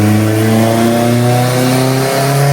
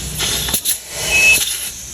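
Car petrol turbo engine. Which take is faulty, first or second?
second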